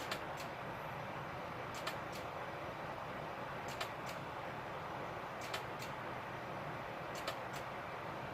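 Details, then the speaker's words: Iomega Zip drive reading a disk: quiet hum with sharp double clicks repeating about every two seconds; owner suspects a bad disk or the infamous click of death, unconfirmed. "I believe what that might be is maybe the potential infamous zip drive click of death that everyone was all up in arms about back in the late 90s."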